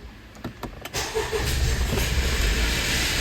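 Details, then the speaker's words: 2017 Honda CR-V 1.5L turbo, rough running and power loss; on startup, an uneven, lumpy idle with a dead misfire on cylinder 1 and then 2, which then stops misfiring, plus an awful noise seemingly from the turbo; misfire, head gasket suspected. "holy cow one is a dead mess one and two what is that sound and now it quit misfiring"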